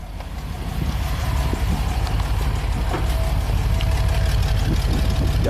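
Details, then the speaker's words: 1999 Chevy C3500 5.7 L V8, brand-new replacement engine, 245,000 miles, custom exhaust, hot idle: deep rumble with slightly uneven lumpy beat and mild shaking; consistent cylinder 6 lean misfire, root cause under investigation. "you see the engine's shaking slightly it's not terrible so on the scope we can definitely see the number six"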